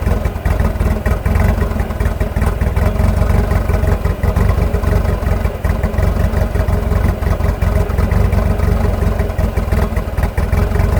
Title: 1986.5 Nissan hardbody rough idle